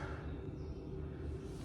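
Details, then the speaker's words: Heating system boiler pump after the radiators were bled: only a soft, even low hum with no gurgling or rushing water. The system is full, with no trapped air. "But right now, I can't hear any air movement, so sometimes if you've got air trapped, you hear it all round and whatnot."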